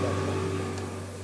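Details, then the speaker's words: Vacuum suction machine for the CNC router, oil levels checked, switched on: a loud, steady low drone with an even hum and no knocks or rattles, fading slightly as it settles. It is running normally. "nd here we have already made sure that the oil levels are correct so we can simply turn it on here it's very noisy and since it is noisy we can close this door since the vacuum machine is noisy we can close this door as of now"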